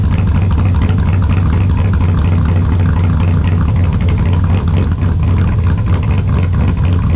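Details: 2002 Chevrolet Silverado with a built LS V8, at idle in the shop: extremely loud, deep, steady lumpy cammed idle, even throughout with no dropouts and all cylinders firing; normal idle.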